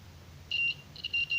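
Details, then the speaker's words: Microphone repair, multitester buzzer across the mic with its switch off: high steady beeps in short bursts over a low hum; continuity is normal because the off switch shorts the coil by design. "ini buzzernya bunyi, karena pada prinsipnya mikrofon ketika off adalah menghubung singkatkan bagian spool."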